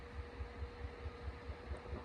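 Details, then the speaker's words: 1936 Grunow Teledial 1297 radio: a soft regular low thump four to five times a second over quiet hiss, the set motorboating; it persists after a recent capacitor replacement, and a bad tube is suspected. "I can hear a pulsation coming through it"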